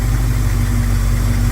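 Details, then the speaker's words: 1971 Plymouth Scamp after fixing a couple of vacuum leaks, timing unchanged: deep even idle, steady low rumble, no stumbles or misses, running very smooth; small oil leak at a bolt. "I'm amazing how well it runs with the no vacuum Le doesn't sound like she's missing"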